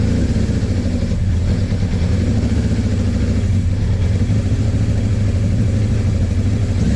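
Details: Suzuki GS850 four-cylinder motorcycle started right after valve adjustment with head cover refitted, on a small gas container: lumpy, uneven thrumming pulse; still runs rough, owner suspects carburetor issues, not confirmed.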